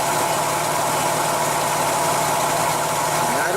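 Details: Engine with an intermittent misfire, checked with a lab scope probe on the ignition coil wire. It idles evenly with no stumbles, pops or dropped beats, and no misfire is seen or heard at this moment. Plug cables still to be replaced.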